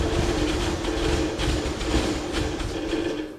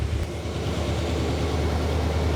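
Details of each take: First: 1979 Chevy Camaro, barn find sat over a decade, after carburetor work; rough running that sags near stalling, only keeps going with throttle held, then clears and revs. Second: 1979 Chevy Camaro barn find after a decade stored; smoky, deep even rumble at raised fast idle with choke likely on, running smoothly once cleared out.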